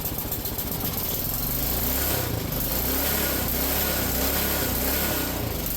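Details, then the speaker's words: Ariens snowblower small engine after cleaning a filthy ethanol-fouled carburetor: idle lopes up and down every second or so instead of holding steady; surging idle, cleared after a minute or two of running, fine adjustment possible. "now I'm sure you can hear the idle is kind of loping a little bit up and down up and down up and down it's not really staying super steady"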